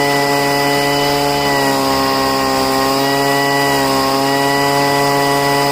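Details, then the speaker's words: Poulan two-stroke leaf blower after five months of storage and richening the high-speed mixture screw: steady, even high-pitched buzz at constant speed, no stumbling or surging; running cleanly. "okay, it's fine now. I usually don't have to pour any gas into the cylinder to get it to run."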